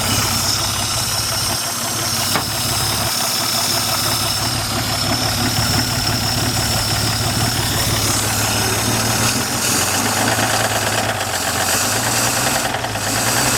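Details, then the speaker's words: 1950 Dodge six-cylinder, first start in 40 years. Steady, even idle with all six cylinders firing and no knocks or misses; a slight rattle and possible blow-by were noted. "that's it sounds good"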